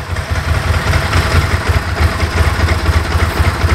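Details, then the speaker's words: Bimota DB4 ie, about 10k miles, Ducati engine in standard form on choke at fast idle while warming up: lumpy twin idle with a loose, even clatter about four times a second; normal Ducati dry clutch rattle. "you can hear that ducati clutch dry clutch there she isn't there she is sounds well in standard form"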